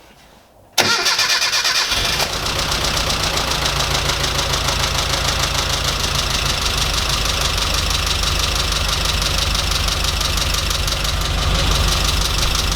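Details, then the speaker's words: Classic Mini 998 engine with a leaking head gasket, started up: it settles into an uneven, stumbling idle instead of running smoothly; misfire, owner hopes a new composite head gasket will cure it. "Poorly, Mini! So yeah, that's not great. It's got a bit of a misfire, and hopefully the gasket will sort it out."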